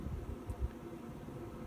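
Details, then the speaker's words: 5 kW Chinese diesel heater heating a home, running: low steady rumbling roar, louder than a car; owner suspects the exhaust silencer, not confirmed. "that is what you can hear from the eater the eater it's a lot louder than even a car or the central eating yep it's definitely louder"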